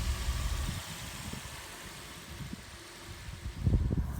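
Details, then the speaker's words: Suzuki Swift double overhead cam engine idling after fitting and tensioning a new alternator/water pump belt: quiet, soft, even idle with no belt squeal or chirp, only a few low thumps; revved without slipping, charging fine. "No, it's absolutely beautiful. She's on like a good one. That sounds really nice, that. It's purring like a kitten."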